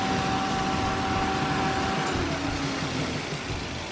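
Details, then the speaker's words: 2010 Toyota Avanza S automatic, engine idling with AC on during used-car inspection. Steady fan rush and smooth compressor hum, no rattles or squeal; AC compressor engages properly and extra fan active, normal. "Ini suara AC normal, nyeteknya kompresor AC-nya bagus, extra fan-nya juga aktif."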